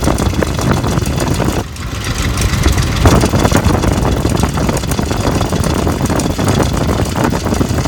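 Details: 2004 Ford F150 at idle: irregular dull knocks thump through a low, rumbling idle; engine knock of undetermined location.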